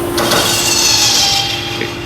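Harsh high-pitched metallic grinding and scraping during cranking, fading out after a second or two; starter gear misaligned with the flywheel.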